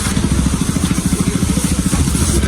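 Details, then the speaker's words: Bajaj Pulsar RS200/NS200 after a timing chain repair and fresh Motul oil; even, steady exhaust pulses at about ten per second, no tapping or rattle, revs cleanly with no noises. Normal running. "ya quedó bien, sin ruidos, revoluciona bien."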